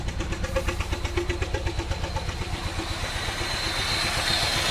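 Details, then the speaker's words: 2001 Pontiac Grand Am idling with an uneven chug of about four beats a second, knocking hard, check engine light flashing; code showed cylinder 1 misfire; spark plugs and one ignition coil already replaced without fixing it; first start in months. "we'll check this out it's knocking real hard airbag sensors going off backed off turning on a little bit the service engine light sensor on there goes and starts flashing"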